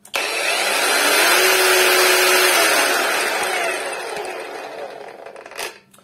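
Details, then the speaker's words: Cordless angle grinder (the owner's own, rated 800 W, claimed 11,000 rpm, estimated about 6,500) on a charged battery: smooth, even high whir at speed with characteristic clicks, then clean wind-down; normal running. "То есть, когда она просто стоит, вот такие, слышите, характерные щелчки. То есть она вот так прокручивается, ну и вот он, звук"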